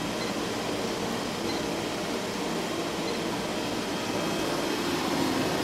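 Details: Kerosene heater running off a modified sine wave inverter: steady, even fan and burner roar with no surging, sputtering or rattles; running normally.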